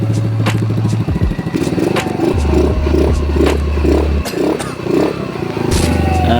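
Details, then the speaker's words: Rusi Gala 125 after crankshaft replacement (previously noisy, rod damaged possibly by oil starvation), first run without the exhaust fitted: engine blips up and settles in short bursts with no knocking; bottom end now quiet and healthy. "At yun, okay naman sa unang andar natin. Ayan, bali wala lang tambucho, bali kakapit na lang natin yung tambucho para ma-fix na natin at maparinig natin kay Sir na tahimik na talaga yung makina niya."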